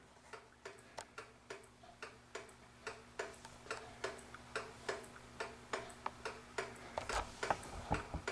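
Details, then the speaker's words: Vintage kitchen pendulum clock, just cleaned, oiled and leveled: crisp ticks in a lopsided tick-tock rhythm with alternating short and long gaps, meaning it is out of beat; fixed by slightly bending the rod to the ticker to center it. "I leveled my clock this way I don't care about back-and-forth and can you hear that thing ticking the way it is it's not a smooth tip"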